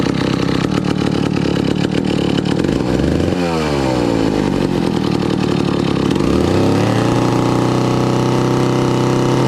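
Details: 1962 McCulloch 1-46 chainsaw, brought back to life after it had no carburetor, now fitted with a scavenged old carburetor and intake part: crisp two-stroke burble climbs cleanly through two quick revs and settles to a steady idle, so it runs healthy.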